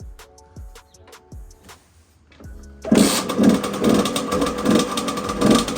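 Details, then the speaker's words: Beta 50 geared two-stroke on its original stock exhaust, started cold: starting clatter, then a buzzy idle pulsing about twice a second, running normally. "Donc là, tu as entendu le bruit d'origine. Bon, elle est froide et tout, hein, t'inquiète pas."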